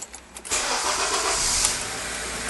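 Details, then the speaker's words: 2003 Honda Accord after ignition switch replacement, fixing an intermittent no-start with a buzzing noise on key-to-start: brief crank, catches right away and settles into a steady, even run, a normal start. "and now we're going to start it and make sure we're okay cranks up and starts"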